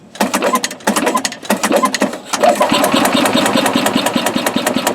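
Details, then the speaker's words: 2003 Yamaha G22 gasoline golf cart: the starter cranks in fast choppy bursts but it never catches. No fuel comes from the pump outlet although the crankcase pulse line pulses, so the crank-no-start is traced to a bad fuel pump. "No fuel coming out. Okay. So, we have a no fuel condition."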